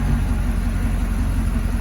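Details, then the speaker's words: C6 Corvette with an LS3, idling right after an oil and filter change with the factory stock active exhaust open: a deep, even V8 rumble with no ticks, knocks or misses. This is a normal, healthy idle. "we'll let it run through. Let the fluids pull up on the engine. That sounds really good. It really does for being factory stock exhaust."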